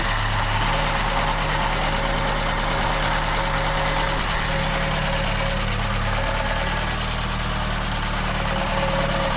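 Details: MK1 Ford Escort van petrol engine idling: loose, uneven rattle about three beats a second; owner suspects clutch, recently fitted engine mount or steering column, currently bad; idle rattle, unconfirmed.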